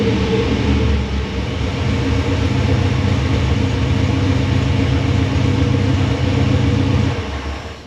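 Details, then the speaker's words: V8 with Holley Sniper tunnel ram, XP carburetor and MSD distributor, new water pump, restarted hot: loud lumpy rumble with uneven beat for about seven seconds, then dying away; owner says it needs tuning, cause not confirmed. "It sounds way more rowdy."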